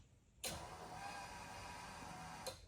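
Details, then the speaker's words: 1976 Datsun 280Z, first start attempt after sitting 15+ years, with an aftermarket EFI/ECU on a base tune. At key-on a steady whirring buzz lasts about two seconds, then cuts off: fuel pump priming normally. "This is the first time I've sat in here and tried to start this. Okay. Just gonna let it prime a little bit."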